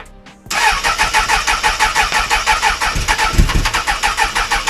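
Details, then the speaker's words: 1996 Suzuki Bandit GSF600S after sitting a week, before carbs were removed again, a little throttle: steady cranking about three pulses a second with no firing; hard starting blamed on carb problems, fixed by rejetting. "So you may be wondering why I'm taking the carbs back off since I've already taken them off a handful of times in the last video. Well, as you can see there, it didn't want to start, and that was due to a few things actually."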